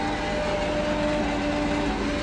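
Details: Engine-driven water pump after rebuild with new impeller and repaired threads, pumping from a 1000-gallon tank; steady even engine drone with smooth pump whir and water rushing through, no knocking or grinding, normal pump operation.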